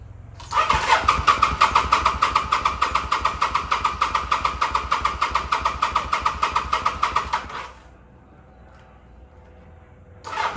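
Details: 2005 Kawasaki VN800C, about 130,000 km, off the road since about 2015, first start attempt on charged battery, oil unchecked: starter cranks steadily about seven seconds and never fires.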